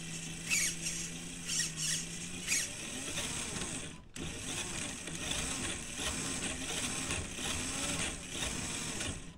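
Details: FMS Toyota Land Cruiser FJ40 RC crawler after replacing the worn dog-bone drive shaft to cure chatter: small motor whines briefly, then a smooth gear hum under throttle, no clicking or chatter; drivetrain running clean.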